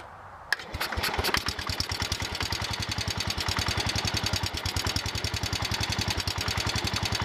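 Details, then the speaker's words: John Deere 110 garden tractor single-cylinder engine after rod knock repair: quick, even putter, no rod knock, only lifter ticking and belt flopping; healthy idle. "okay that sounds better now I hear the lifters ticking and some other stuff rattling sounds like the belts flopping around some but I don't hear a rod knock"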